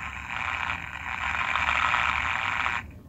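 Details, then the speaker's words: 1960s eight-transistor Sanyo radio (believed model 8C-028S), re-capped, receiving local stations; a rough buzzy hiss with a rasping grind over it, which the owner suspects is RF interference from nearby Raspberry Pis and RF modulators; grinding noise on radio reception. "none of these are going to get very much right now because of what that grinding sound is i think it's all my raspberry pi's and stuff that are nearby all those rf modulators"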